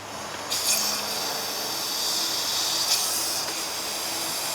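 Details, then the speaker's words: 1968 Evinrude 6 hp outboard lower unit (gear case) under a low air pressure test. Steady airy hiss of escaping air. A cracked, gooey, dripping spot was found above. Owner suspects the leak is the seal at the pump. Air leak hiss. "i can hear it coming through here i don't see anything down here it's going to be the seal at the pump"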